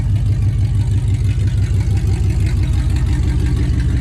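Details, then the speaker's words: 2003 Dodge Ram 1500, 4.7 Magnum V8 with 255,000 km, at idle after start-up: loud, raw, deep rumble with an even lumpy idle pulse like an open exhaust; rusted-through pipes leaking. "So here it is. She's loud. And the exhaust is shot."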